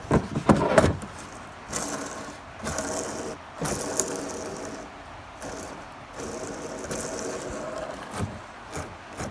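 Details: Hand-spun beginner skateboard wheel after bearings were cleaned, lubricated and air-dried: loose, uneven rattle instead of a smooth whir, only about two-thirds of a spin; bearings remain badly worn.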